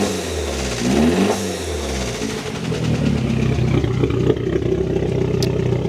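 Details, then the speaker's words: R56 Mini Cooper S free revs with an uneven light tapping over the engine note; it seems to misfire, smells rich and puffs soot. Codes include inlet camshaft and alternator faults. Tapping noise when revved. "And like I said, the engine is a little bit tappy, but it's not terrible."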